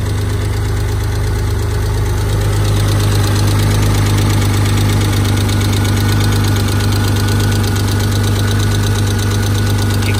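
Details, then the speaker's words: Stealth just after replacing lash adjusters: loud idle with a quick, slightly uneven tick about three to four a second; owner hopes lifters are still pumping up, bottom end solid, good oil pressure. "I still hear a lot of thicket [Music] might take a little while for those lifters to puff up we'll see hopefully they do if not then I've got something else making this noise"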